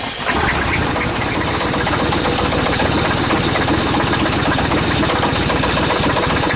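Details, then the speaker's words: Chevy Suburban with knock and squeak, plugs, wires and rotor replaced, after Seafoam in oil, fuel and vacuum line; fast regular ticking over steady idle persists; top-end tap. "hopefully my knock is gone oh I can still hear the squeak it's just not as bad"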